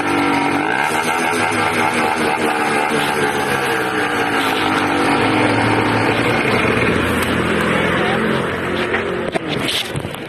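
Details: Small 80cc two-stroke revs up and sags unevenly with a loud ragged buzz, not holding steady; owner suspects a carburetor or intake manifold leak, unconfirmed.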